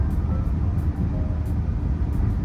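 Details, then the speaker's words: 2007 Saturn Vue, Honda 3.5 V6, on a test drive after an ignition tune-up with new spark plugs and coils: smooth low engine rumble with no stumble or miss; normal running. "we'll test drive it in a few minutes all right we're on the test drive it's running"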